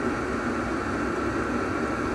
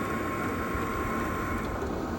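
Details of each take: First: Diesel heater (its display had failed earlier) running steadily after the fuel pump was wrapped: an even rushing hum from fan and burner, no knocks or rattles, noticeably quieter than before; normal running. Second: Heater on low setting, cover refitted, seated in its rubber isolator and wrapped: low hum with faint sharp ticks about twice a second over the fan; knocking oddly louder on low than high setting, source unknown.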